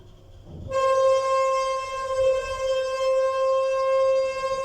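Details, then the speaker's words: Modernised lift with DMG fixtures, Metrocentre coach park, travelling. Loud steady high squeal that holds throughout the ride. It used to be slightly squeaky but has dramatically worsened; cause not stated. "I really can't believe how bad this has got. Used to be a little bit squeaky, but never anywhere near as bad as this."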